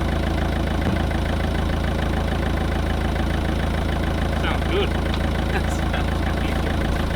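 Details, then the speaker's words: Van at steady low idle with a light metallic rattle of about two beats a second, coming from an exhaust wrecked when the van was lifted on forklift forks. "the rattle is the exhaust cuz it got picked up on Forks both of them are just wrecked now but here's what it is see that rattle it's just the exhaust yeah"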